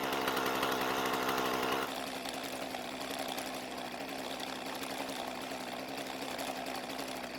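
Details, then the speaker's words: Husqvarna two-stroke trimmer with a new aftermarket carburetor: sharp, even buzz at wide open throttle dropping cleanly to a steady, smooth idle with no stumbling; starts and runs healthy. "it started the way it was supposed to revved from idle perfectly and sounds fantastic at wide open throttle"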